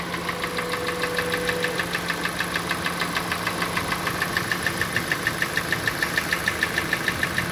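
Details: 2014 Kia Sportage, 2.4 G4NA engine, about 147,000 km, not fully warmed, before repair: sharp even tapping about three knocks per second over idle; engine knock at idle, scuffing (zadiry) expected as usual for this engine.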